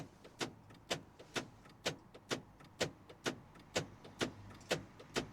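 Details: Citroen with central locking not working: sharp, very even clicks about once a second as the locks cycle without latching; door lock module fault, with a bad driver's door lock module suspected.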